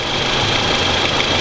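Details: Toyota Camry 2AZ-FE petrol engine idling with a busy, rattly metallic clatter: a worn, slack timing chain knocking, replaced; owner believes the VVT-i valve is the root cause.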